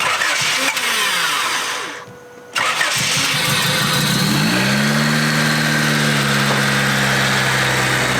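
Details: Budget Honda Civic right after a D16Z6 engine swap done in four hours: starter cranks briefly, engine catches and settles into a smooth, even idle with no knocks or misses; normal start.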